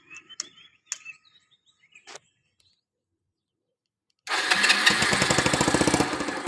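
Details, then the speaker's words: Used Kawasaki Boss 175cc motorcycle (last model) with a new fuel filter and a new fuel tap, the old one's vacuum leaking: starts easily and settles into a quick, even, very quiet idle with no knocking. Healthy engine. "ติดง่ายนะครับลองเสียบเครื่องดูครับเงียบมากนะครับ"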